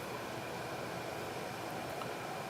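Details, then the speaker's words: Lexus RX400h being diagnosed for P3105 battery fault, fans driven by scan tool actuation test with battery cover off: steady even vacuum-like rush with no ticking or rubbing; four-wire hybrid battery cooling fans running healthy at full speed. "now it is quite loud because I have the battery cover off it sounds like a little tornado back there vacuum cleaner but those fans are getting pretty loud they're all the way on high speed now"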